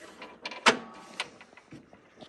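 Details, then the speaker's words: 1966 Pontiac GTO convertible top hydraulic pump, key on, switch tested up and down: brief motor whir with clicks and switch clunks as the pump runs; works, transmission fluid just added, air bubbles still in the system. "now we should hear that pump move. Up, down. Ah, now we can call it a success."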